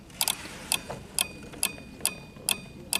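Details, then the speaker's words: 1999 UpRight SB60 boom lift, platform controls (Flex 4 controller) going non-responsive after minutes: with platform selected a relay's points chatter in sharp dry clicks about twice a second over quiet hiss; likely a faulty controller signal, odd negative voltage on receive pin. "is here you can see those points clicking"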